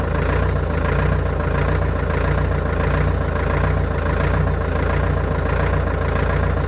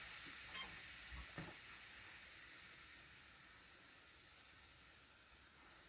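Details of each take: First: Old Caterpillar excavator diesel, first start in months on new batteries, cold day: very slow, even low-pitched thrum with no knocks at very low cold idle; people familiar with Cat engines judged it sound. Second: Old abandoned CAT excavator just started after months, rebuilt hydraulic pump fitted: a sharp steady hiss that slowly fades, with no engine rhythm under it, from a rubber hose in the braking system that let go.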